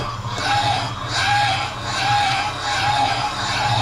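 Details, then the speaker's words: Cylinder head valve seat cutting: rhythmic scraping chatter about once a second as cutter catches on one side only, near the exhaust; seat out of round until cut true. "Yeah, you can hear it. It's cutting on this side here near the exhaust."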